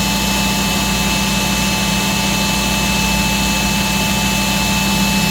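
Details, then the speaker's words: Black and Decker Floor Buster SV3000 cordless vacuum from the 90s, weak motor, bare floor mode: steady high whine with lower motor hum that sags when the brush roll is turned on, motor slowing under brush roll load. "Turn on the brush roll. And we can hear that that motor went down in speed."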